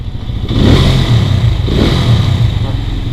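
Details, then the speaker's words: Benelli 150S at 26K after the broken auto decompressor (cam part) was removed, curing a loud 'tak tak' first suspected as valves or timing chain: two clean throttle blips rising and falling smoothly, no ticking; normal. "Kalau kau tak percaya kan kita tengok kita start mileage aku dah sampai 26K hilang terus normal tak ada dah bunyi."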